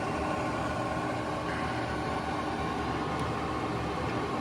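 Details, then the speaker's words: AC Infinity garage vent fan, just started and set to speed 5: a steady, even rush of air with a soft low hum and no ticking or rubbing; the fan runs smoothly, normal running. "okay there it goes see the blades turning there uh put it at 5 see what it sounds like"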